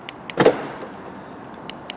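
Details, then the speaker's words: 2005 VW Golf MK5, front right door, central locking operated by remote: two short whirring buzzes about 1.5 s apart with no solid latch clunk; the door lock actuator or module runs but fails to unlock; other doors work. "if you feel the door as well just put your hand on the door you can feel something happening but it's not unlocking"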